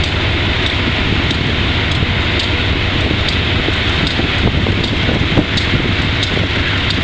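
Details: Wimpy Mtl B30-7 locomotive diesel with bad injectors; loud steady roar with a faint uneven tick roughly every half second, misfire. Repairs included air intake, some injectors replaced, valves checked.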